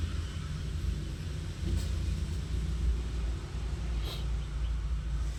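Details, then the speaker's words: Deep, uneven shaky idle with strong engine vibration and check engine light; scanner shows cylinder four misfire, coil and spark plug on number four to be checked. Cylinder misfire rough idle. "tsaka masyadong malakas yung vibration ng makina. Malakas yung nginig."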